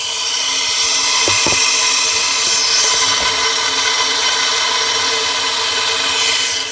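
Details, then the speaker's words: Saturn SL2 cylinder leak-down test, valves closed, 100 psi in and 30 held, 70 percent loss, listened at the intake system: steady loud rush of air hissing out of the intake, meaning a large leak through the intake valve. "it's the intake valve that is leaking it's leaking through the intake valve and it comes up the intake manifold and right out the air intake so yeah that's a pretty that's a pretty large leak"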